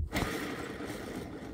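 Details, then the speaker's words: Driveshaft center support bearing spun by hand on removal: gritty, rasping rumble from a dry, rust-stained, worn bearing with substantial play; shaft spline alignment marked beforehand to keep balance on reassembly. "Все, короче, он болтается, люфт у него есть в подшипнике. Такой приличный."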